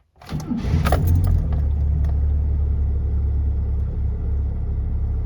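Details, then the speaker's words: Engine with newly installed timing chain: starter cranks briefly, engine catches and settles into a steady low idle with no chain slap or rattle; quiet inside and out, healthy. "just by driving it seems all quiet in here and quite quiet out here well all be that's fantastic news I was quite nervous about this"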